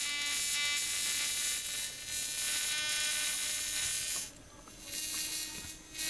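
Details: Lidmotor Joulini replica with larger 1:1 coil, floating MPSA06 transistor and 1 m base wire: thin high crackly buzz as small rotor spins fast; rotor speeds up and plasma increases when finger touches corona, normal.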